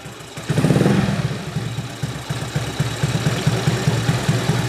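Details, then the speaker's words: Honda Beat carburetor scooter after fixing the automatic choke and resetting idle; after a brief blip it settles into an even, steady putter; earlier odd noise gone, normal idle. "Nah ini sudah tidak terdengar lagi suara yang tadi ya, yang kos-kosan tadi. Ini suaranya sudah normal kembali ya."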